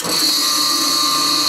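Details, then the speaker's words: Early-to-mid-1950s Delta 6-inch jointer's half-horsepower motor compared with another half-horsepower motor: loud, steady high-pitched whine with a constant hum, much noisier than the near-silent jointer motor; owner thinks it needs bearings. "now that one I'm thinking it needs bearings in it but the difference in the two is just amazing"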